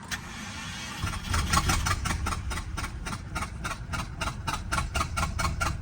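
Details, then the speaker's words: Subaru XT with a bad motor, first start-up, smelling of old gas: runs under its own power but lumpy and stumbling, with a slight knock. Owner suspects a coil pack still missing, or possibly an exhaust leak. "so it's running but it's really really rough definitely sounds like a coil pack still missing"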